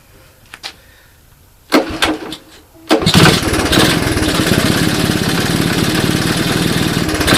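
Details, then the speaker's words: 1981 Honda ATC 185S on its first start, on a portable 12V supply with CDI ignition and a clone carb: fast, ragged idle with an uneven clunk when put in gear. Chain or rear end seized and it won't move; cause unknown. "so so i don't know did you guys hear that clunking in there she didn't sound very good didn't sound good at all"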